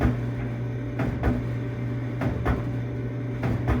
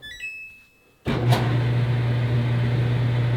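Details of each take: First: Samsung dryer running with a double clunk about every 1.2 seconds over the motor hum. The drum is cracked, with a visible gap that clunks once per revolution. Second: Samsung dryer after replacing the cracked, warped drum that caused clunking and leaking: start beeps then smooth, steady low drum hum with no clunks; normal running after repair.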